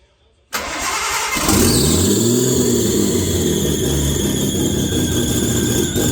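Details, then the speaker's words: Nissan RB20 first start in 5 years after rebuild, with new spark plugs and coil packs and old dirty injectors: cranks, catches and settles into a steady, even idle with a brief rev; runs cleanly. "Wow! Holy shit, it ran. It fucking ran, man."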